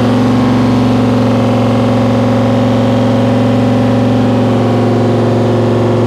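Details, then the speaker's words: 1955 Chevy Nomad, small-block Chevy with tunnel ram and dual Holley Sniper EFI, on first start. It holds a fast, steady drone around 2700 rpm, far above idle; the tuner apparently forgot its settings. "okay well shot to 2700 RPM for some reason there that's a that's a new one"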